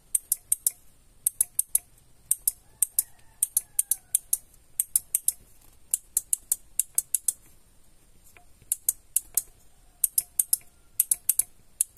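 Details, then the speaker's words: Original central-lock/alarm door lock module from a Toyota Kijang, tested by working the switch: only the left relay clicks in quick crisp bursts while the right 5-pin relay stays silent with no felt impulse, a failed relay. "mati yang ini teman-teman yang kanan ini nggak ada getaran impulnya yang gerak cuma yang kiri ini jadi ini dipegang tangan juga nggak ada pergerakan"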